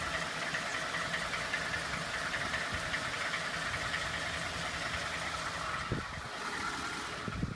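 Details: 2012 Ford F-150 5.0 V8 at idle: faint uneven tapping under a quiet idle, a recurring knock; source unclear.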